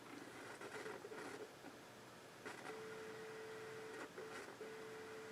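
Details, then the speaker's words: 1981 Realistic STA-2250 receiver with speakers and antenna, phono input selected: soft steady hiss with a thin tone and faint FM program leaking through; phono-stage hiss with FM bleed-through, controls dirty. "you can hear the hiss the background hiss but some signal bleeding through this is FM one channel here B channels here"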